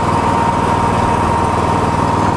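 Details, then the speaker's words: Miller Trailblazer 325 EFI welder generator, 250 W floodlight on XL power 120 V receptacle: steady, even idle hum with no dip or surge; engine stays at idle. "check it out that 250 W light bulb plugged into the XL power engine stays at idle I got more power to boot"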